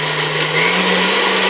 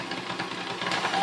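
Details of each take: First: Vintage KitchenAid 4C stand mixer after a service and reassembly with the handle and clip refitted: even motor hum holds steady for a few seconds, then winds down smoothly with no grinding; everything works. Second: Vintage KitchenAid 4C stand mixer before service, at speed 1: slow, uneven chuffing pulses under the motor hum, a slightly rough, lumpy run. The gearbox is suspected to need cleaning and re-greasing, unconfirmed.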